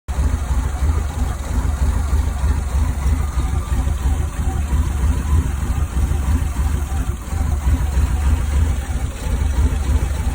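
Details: 1984 Firebird/Camaro petrol V8 idling with a deep, uneven burble whose beat stumbles instead of staying steady: rough idle.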